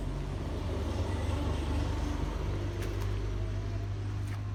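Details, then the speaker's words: 2012 Toyota Vitz AC compressor at idle with AC not engaged: faint thin rubbing drone as the magnetic clutch plate rubs the pulley despite a new bearing; fixed by adding a 0.25 mm shim, which greatly reduced the noise. "Okay, so you can hear it making that worrying sound."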